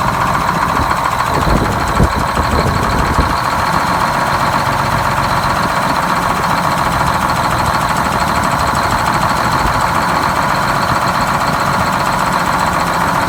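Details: Loud, steady diesel drone at idle, even and unbroken with no stumbling, from a GM 4104 two-stroke bus engine revived after about nine years sitting in a yard, with four stuck injectors freed and a bad starter replaced; idling normally.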